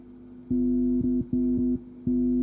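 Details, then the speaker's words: KEF KC62 subwoofer, cheap RCA cable's white connector being plugged in: loud low buzz cuts in and out as the signal pin contacts before the ground shield; 50 Hz mains hum, same as a severed cable. "Donc le bruit se produit lorsqu'on branche la première partie du câble avant de mettre en contact la masse, ce qui correspond à un câble sectionné."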